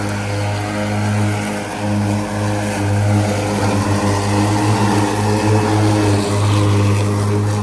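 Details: Ryobi ZR3 80V 42-inch brushless zero-turn mower with 14Ah lithium NMC batteries cutting wet grass: strong steady low whirr from the spinning blades, slight load swings, no grinding; normal blade running once driven slower so the deck can discharge cleanly.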